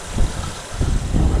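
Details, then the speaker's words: 2009 Honda Pilot 3.5L V6, about 177,000 miles, first start right after timing belt replacement, coolant being bled; low even idle with no ticking, slapping or knocking, timing correct and engine healthy. "sounds good if your timings go wrong in there should happening when you crank it so at this point here timing is right so everything's good so it's ready to go"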